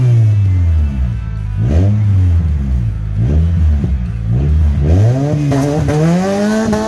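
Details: Honda CR-V stripped down as a convertible, first start with the rear exhaust removed: loud raw blat with deep rising revs and coarse uneven rasp, running open after the front pipe.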